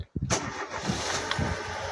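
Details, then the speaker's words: Opel Corsa Utility 1.4i after lifter and rocker replacement: short crank, then a smooth steady idle with no ticking, knocking or noise; healthy valvetrain start and idle. "that's it that's all you want to hear no knocking no noise no nothing"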